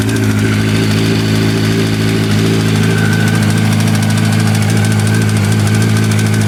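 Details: 2005 Yamaha R1 5VY at idle: loud steady idle with uneven metallic rattle and light knocking; cause not yet found.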